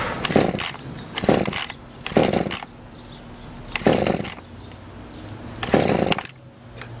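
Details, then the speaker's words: Rebuilt Echo CS-400 two-stroke chainsaw, new Zama carburetor, primed and choked cold start: several sharp pops about every 1.5 seconds, then light steady idle; normal cold start, choke off after the pop. "that's a good start once you hear that pop take the choke off or flood the engine"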